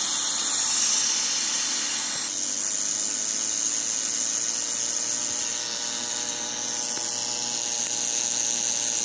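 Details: Second-hand Studio Projects VTB1 V series preamp after about 15–30 minutes of use: constant thin high-pitched hiss and buzz with no signal present, continuous unwanted noise; cause unknown.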